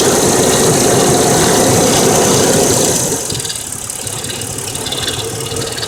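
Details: 1999 Mercedes W163 ML320 petrol, almost 200k miles, at idle: a fast, light lifter ticking about four per second, boosted audio. It began after an oil change to Mobil 5W40 with a new filter; before, it ticked only 10–15 s at cold start.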